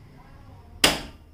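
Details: 2022 Yamaha FZS V3 BS6 after about 30 minutes of riding: a single sharp, gunshot-like crack. The dealer service centre could not find the source; the cause remains unknown.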